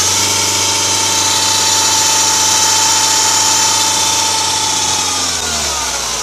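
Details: Audi A6 C6 2.0 TDI (BRF) idling: steady high whirring whine, sagging as revs drop; worn deflection/guide pulley bearing (part 03G145276A), found after alternator bearings, alternator pulley, belt and tensioner were replaced.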